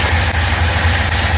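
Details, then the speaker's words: 1955 Studebaker Speedster 259 V8 with freshly rebuilt 4-barrel Carter WCFB carburetor, not yet tuned: steady, lumpy V8 idle with even low beat, running slightly fast; owner says fast idle a little too fast but starts well. "Fast idle was a little bit too fast, but I'm happy with the way it starts."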